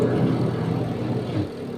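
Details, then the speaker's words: 14-year-old LG washing machine spin dryer, previously noisy from worn brake spring, after oiling brake contact: smooth steady whir of drum winding down evenly, no scraping or knocking; normal spin dryer operation. "So okay siya, functional na siya, nag-i-spin na siya. So medyo nawala yung ingay niya sa loob ng spin dryer kasi nga nilagyan ko yung oil, kunting oil yung kinakapitan ng brake."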